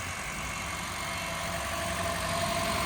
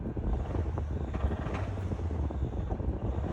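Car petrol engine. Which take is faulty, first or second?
second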